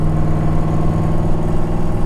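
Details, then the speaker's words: LS-swapped Z31 300ZX with 2.5-inch straight pipe, race bearings, about 450hp claimed: smooth, steady idle with even exhaust pulse, no knocks or ticks; very quiet for its compression and power, well insulated. "This engine's very quiet when you have everything shut. This car's so insulated you can barely hear it."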